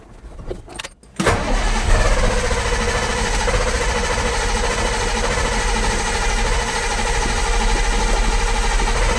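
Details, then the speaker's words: Detroit 8.2L diesel after a complete fuel system overhaul, with injectors just reinstalled, no primer pump or glow plugs, and the battery not charged. Brief cranking, then it starts at once and settles to an even idle; healthy start. "If there is a good thing to say about this engine, it does like to run. No bleeding, no primer pump, no glow plugs. It just starts."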